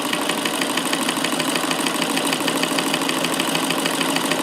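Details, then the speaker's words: Davis vertical feed sewing machine, electrified, after bobbin mechanism adjustment: quick, even mechanical patter around three stitches per second with no hard hit in the cycle; smooth, quiet normal running at comfortable speed. "but for this machine here how smooth and quiet it is now since I've adjusted the bobbin mechanism so there's no hit"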